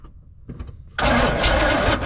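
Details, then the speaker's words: 1979 Chevrolet C10 with Quadrajet carburetor, first start after years sitting, spark confirmed but fuel not yet supplied: weak uneven cranking, then a loud burst as it briefly catches and dies; cranks and fires but won't keep running. "D oh boy hit it again turn it over guess what y'all she couldn't fire about once ever"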